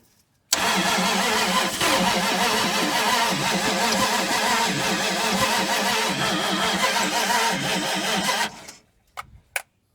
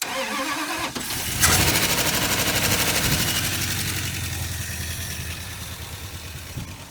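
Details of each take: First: 1980 Dodge Power Wagon that sat 20 years: about eight seconds of steady, even cranking at roughly two turns a second with no catch, because the distributor was turned the wrong way and retarded the timing (counterclockwise advances it). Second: 1980 Dodge Power Wagon, parked 20 years, started on a freshly charged battery with fuel added; quick crank, catches and settles to an even idle with no lifter tap, no exhaust leaks, no smoke; normal start and idle.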